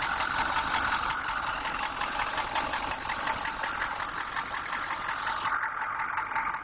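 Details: 6.2 engine at steady idle with a dull, regular knock about three per second over the engine note; origin unknown.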